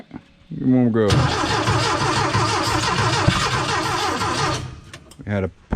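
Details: Porsche 914 with new 2-liter engine, first start attempts: uneven chugging crank about three and a half seconds, stops without catching; no start, distributor adjustment suspected.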